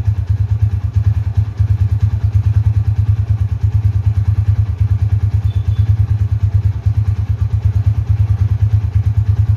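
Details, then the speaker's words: 2011 Tiger Revolution (Tirev) limited edition, 10,000 km, idling, heard from a distance: single-cylinder thumping at a steady, even beat, no knocks or rattles; super smooth, quiet engine, normal running. "kalau yang masih nyes KM rendah seperti baru itu kayak gini teman-teman di mesin gak ada suara apapun super halus banget kita dengerin dari jauh ya stasioner langsung"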